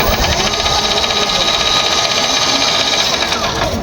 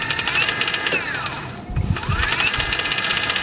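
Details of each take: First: Nearly new e-bike/e-trike, loud harsh mechanical whine and rattling clatter from the drive, still noisy on the second attempt; the gearbox is loose inside and needs teardown. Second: E-bike motor after gearbox reassembly and adding gear oil: steady motor and gear whine easing briefly and rising again, smooth without knocks; previously noisy from a loose, rattling gearbox.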